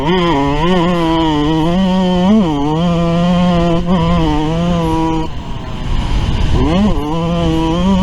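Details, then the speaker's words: YZ125 two-stroke on track at full throttle after going from 450 to richer 470 main jet: crisp buzzing pitch rises and falls cleanly through the gears, no misses or bogging; runs stronger, pulling healthily. "Alright, I don't know if you can hear it on the video, but it seems to definitely be running stronger with that 470 main jet compared to the 450 main. A little bit richer."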